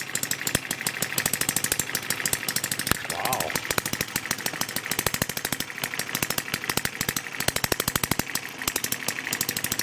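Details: Kerzel model engine's first run, governor and spark saver disabled, ignition via TM6 module, model starter on a 6-volt charger supply: rapid sharp firing pulses, about three per second in bursts, steady and even; running cleanly, normal.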